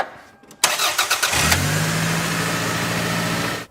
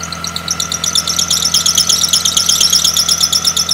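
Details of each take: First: Car with serpentine belt deliberately loosened, after tensioning via adjusting bolts: engine cranks and catches into smooth, even idle with no squeal or chirp; belt drive quiet, squeal fixed by correct tension. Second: Running engine with sharp high chirps about three per second from the drive/serpentine belt; the water-spray test separates a tension problem from pulley misalignment, and a worn, stretched, slipping belt is a possible cause; belt squeal, cause unconfirmed.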